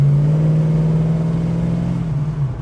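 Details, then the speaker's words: Holden HK driving around the block after a starter motor repair: a smooth engine drone that rises and then coasts with no flywheel scraping or grinding, running perfectly, though the starter itself cranks groggily. "sounds good. She's running perfect. There's no scraping on the flywheel, nothing like that's going on."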